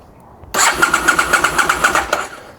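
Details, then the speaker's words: Abandoned 2002 Aprilia SL1000 Falco V-twin (about 3,500 miles, sat 21 years) cranks on a jumper with a steady chug of about eight compression pulses a second but never fires; no sound from the fuel pump, which the owner suspects. "Let's try this again. I'm not getting nothing from the fuel pump. Nothing at all. At least the engine is turning over."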